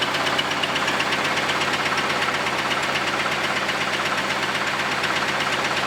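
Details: Camaro V8 first run after a quick weld of the exhaust Y-pipe, running terribly: a heavy, steady knock of about two per second over a rough idle with a harsh, ragged exhaust note; deep internal knock.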